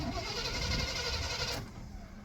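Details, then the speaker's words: Free plow truck with distributor ignition, cranking after carb cleaner sprayed in to bypass the carburetor; power reaches ignition: starter cranks about a second and a half without catching, crank no-start, owner suspects no spark. "and so it just kind of seems like to me that it doesn't have any spar spk we know we're getting power to the ignition"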